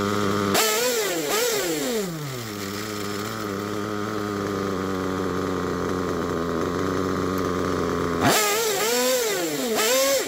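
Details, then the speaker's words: Picco P3TT DLC nitro engine, almost 10 gallons through it, new bearings and conrod, worn crankshaft, damaged sleeve and block: revs in wavering bursts, settles to buzzy slightly unsteady idle; temperature good, idle holds but rough. "well I think that it's running pretty good the temperature is good it's holding the idle up to idle"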